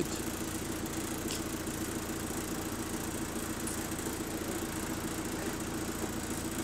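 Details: ABL bus 2509 (HV24) on route 109, diesel idling with a rough, uneven rattle over the steady engine note; a turbo problem is suspected, not confirmed. Rattly idle.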